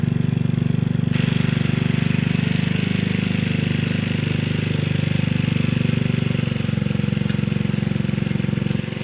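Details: Gilson rear tine tiller after recoil cleaning, fuel seeping at tank/carburetor seam: steady even single-cylinder chug holding speed under load, no surging or stumbling; engine running well.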